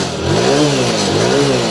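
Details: BS6 TVS Star City Plus after a starting problem was fixed (mechanic cleaned part and reconnected), engine picks up cleanly through two smooth rev blips and settles evenly, no misfire or knocking; some smoke from oil added earlier; normal revving.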